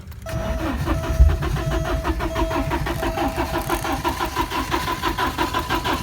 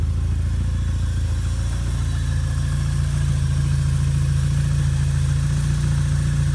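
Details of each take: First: 1987 Porsche 924S after a blown fuel pump fuse was replaced and the pump runs: steady cranking at about three to four turns a second that never catches; it runs on starting fluid, and the injectors are suspected not firing. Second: 1987 Porsche 924S after a blown fuel pump fuse was replaced, the clogged fuel system fixed and a missed intake gasket addressed: it fires right up to a smooth, even low idle with a steady hum and no knocks, misses or hiss.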